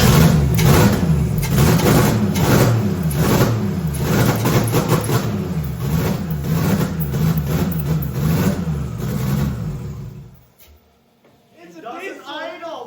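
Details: Toyota Celica with 2JZ engine swap, first start after about three years after fixing ignition via ECU pin arrangement: catches and runs with a lumpy, uneven beat around three to four pulses a second, then shuts off; runs, idle still rough.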